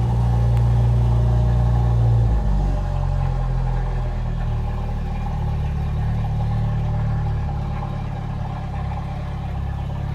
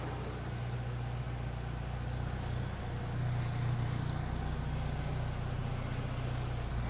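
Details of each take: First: Jeep YJ Wrangler, recently freed from a seizure, revved with no exhaust after the catalytic converter. Deep, raw, unmuffled drone and blat swells with revs. Very loud from the missing muffler. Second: Jeep YJ Wrangler with newly fitted aftermarket exhaust, idling: steady, muted low rumble with even beat, no rasp or leak puffing; quiet, healthy exhaust note.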